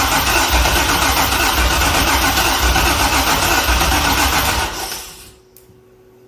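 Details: Chevrolet C6 Corvette project car with junkyard engine and Terminator X ECU, first start attempts: steady fast cranking churn around four beats a second that never catches, then fades; crank no-start, no fuel delivery from dead fuel pump relay circuit.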